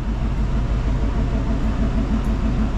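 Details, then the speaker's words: Van parked since 2018 with used 350 Chevy small-block: continuous low rumbling growl pulsing about three times a second from the driveline, slight vibration; cause unknown, owner suspects the carrier bearing, axle seal known faulty. "but it sounds like the world's coming apart in here and it's vibrating just a little bit [Music] not sure what's going on there's no great way to lubricate that carrier bearing but I may try to do it anyway"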